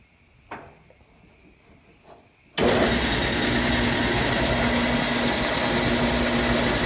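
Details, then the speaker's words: Antique early Wayne 40 gas pump, long sitting, switched on with its on-off lever: a lever clack, then the motor comes on with a smooth, even whir at a steady level, no knocks or rattles; sounds factory-fresh. Normal running. "All those years sitting, and listen to that. I mean, it sounds like it just came out of the factory. Super smooth."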